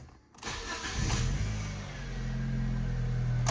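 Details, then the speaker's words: 2010 Ford Ka with 68,647 miles, at startup: a short, rough whirr and clatter while cranking before it catches and idles. The starter motor needs replacing. "so we know that starter motor has got to be changed so that's not the end of the world"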